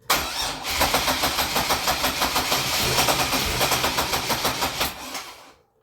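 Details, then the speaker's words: Grand Am GT with 3800 NIC cam and F23 swap, new coils, battery charged 20 minutes, fuel pump heard: cranks about three turns a second for five seconds, almost catches, no start; injectors not firing, owner suspects ignition module (melted pin). "Damn. Man, it was so fucking close. I wish I could figure out what's going on with these injectors, man. Why they're not firing."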